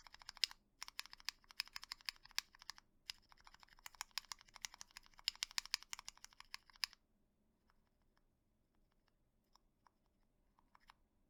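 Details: Keyboard stabilizer tested on a PCB with a lubed linear switch and keycap after wire balancing and lubing: quick crisp even key taps, hard presses and corner clicks, including half-pressed corner taps, with no rattle or tick; stabilizer clean and tuned.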